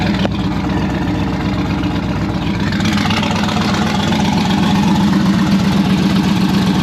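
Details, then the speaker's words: Turbocharged V8 hot rod on its first start since last October, after the turbo kit install. It idles deep and lumpy with a faint flapping from the accessory drive, because the AC belt is wobbling; the owner plans to fix this. "so it kicked the ac bell you can see it wobbling so i'm gonna address that"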